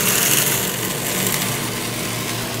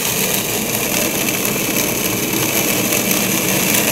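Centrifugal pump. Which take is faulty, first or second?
second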